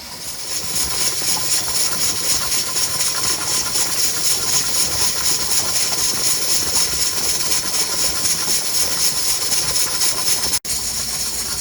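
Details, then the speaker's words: Pressure canner with pints of Boston beans, weight put on after 10 minutes of venting, 75-minute process: loud steady steam hiss with a quick even rattle about four times a second; weight (jiggler) rocking normally at pressure. "I'm gonna put my jiggler on it and just wait until I hear the lovely sound of it rattling back and forth."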